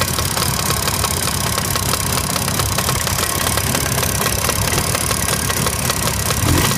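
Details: Jawa 638 two-stroke about 80 km after an overhaul (cylinders bored to 6th repair size, Czech parts, replaced Polish crankshaft): a fast, steady, sharp metallic knock rides over the idle throughout. Internal knock of unknown origin.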